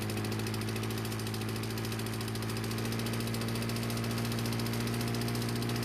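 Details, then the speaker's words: Lawn-Boy mower that wouldn't start, after damaged brake cable replaced, briefly flooded at start: steady, even putter from the small single-cylinder engine at fast idle, no misses or knocks; runs normally. "no I didn't make a mistake by flooding the engine when I was taking off its stand when I was filming it but it did eventually clear up and everything worked like it was supposed to"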